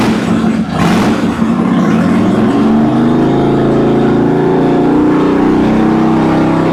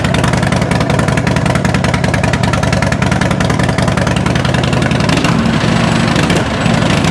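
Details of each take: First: Even, strong 2006 Harley Dyna Wide Glide V-twin climbing cleanly through the revs, with no misses or popping, after the fuel pump found grounding out was fixed; both cylinders are firing well. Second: Uneven 2006 Harley Dyna Wide Glide V-twin stumbles and drops beats as throttle comes in, then dies; it only runs well if the throttle is held slightly open at start. Owner suspected the idle control valve, but the cause was an intermittent fuel pump ground.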